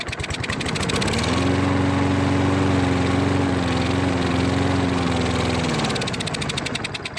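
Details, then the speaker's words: Toro lawn mower that won't start, run on starting fluid: engine catches, runs unevenly about four seconds, then fades and stalls; fuel starvation from a carburetor clogged by debris from a bad tank of gas. "well it starts and tries to stay running play dies"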